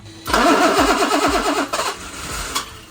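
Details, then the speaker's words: BMW E23 with freshly installed M30 engine, first start attempt, not all parts fitted, incorrect throttle body: cranks a few beats, catches roughly about 1.5 seconds then dies; won't stay running, cause unconfirmed. "The engine turns over, which is great. It kind of starts up for a few seconds, but doesn't want to stay on."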